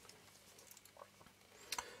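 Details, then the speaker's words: Canon EF-S 18-135mm f/3.5-5.6 IS zoom lens with a focus issue from parts come loose: faint ticks, then a sharp clatter as the opened focus motor assembly is shaken, pointing to loose small parts inside; loose part rattle. "I shake it it it well it has a kind of a noisy so I would think maybe if I take out this screw and hopefully you can get the zoom ring out"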